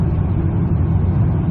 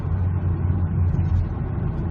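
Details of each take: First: Mazda CX9 (2008 per description, 2011 in speech), about 108,000 miles, climbing a slight grade at low rpm after LubeGuard shudder-fix additive: steady low drone, no pulsing or judder. Converter lockup is smooth, shudder gone. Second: Mazda CX9 (2008 per description, 2011 in speech), about 108,000 miles, in sixth gear climbing a hill under light load at low rpm (usually 1200–1500): a low uneven rumble under the cruise drone. Torque converter shudder at lockup, before additive fix.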